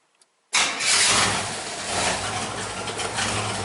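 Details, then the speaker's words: 1977 Pontiac Firebird Formula engine just installed, started with no antifreeze: quick catch on first crank, then steady even idle, no misses or knocks; charging and oil pressure present; normal start and idle. "Don't sound bad there."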